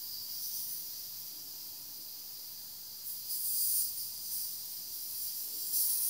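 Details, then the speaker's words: Trapped air hissing from a bleed valve on a central-heating radiator or towel rail that stays cold at the top, with zone one forced to 25° to heat quickly: a soft steady hiss with louder spurts from a good chunk of air. "Hopefully, you can hear that. That's it. There's a good chunk of air in there."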